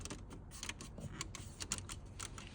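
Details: Audi A6 C8 while driving: sharp irregular dry creaks and crisp high squeaks from the upper front dashboard trim rubbing.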